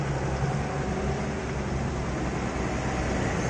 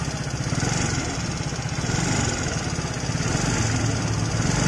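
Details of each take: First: Motorcycle that is still fairly new, after adjusting the valve clearance that had caused ticking from the head: the engine idles smoothly and evenly with a steady low hum and no more valve ticking. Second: Fairly new motorcycle idling with valve cover open: loud, fast metallic ticking from the front of the cylinder head; mechanic suspects loose valve clearance adjustment.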